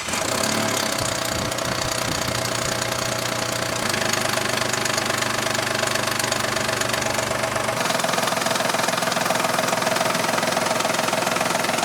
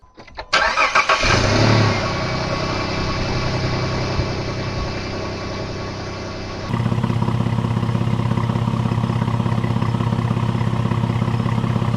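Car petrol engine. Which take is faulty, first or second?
first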